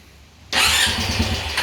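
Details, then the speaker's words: Trashed ATV smoking from every orifice, including the air box. It cranks, catches suddenly, then runs rough and uneven and won't settle: hard start and stall. Owner suspects worn rings, with blow-by soaking and fouling the spark plug once warm. "the rings are so bad in this machine that it's got once it warms up and the blow-by becomes so much that it just soaks the the spark plug and fouls it"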